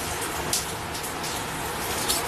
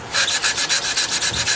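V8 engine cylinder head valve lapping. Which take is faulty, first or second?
first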